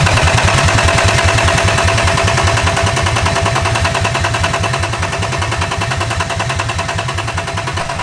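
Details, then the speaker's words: Engine-swapped car, first start attempt after the swap. It cranks steadily at about 2.5 beats per second but never fires. The owner smells fuel and hopes it is simply out of fuel; not confirmed. "I don't know hopefully he's just got no fuel I'm gonna buy fiver of fuel if I need to"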